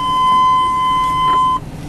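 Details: 1999 Chevrolet Tahoe, engine at operating temperature that previously clanged with low oil pressure now running fine; a single steady mid-pitched beep for about 1.5 seconds in a quiet cabin, a dashboard warning chime, cause uncertain.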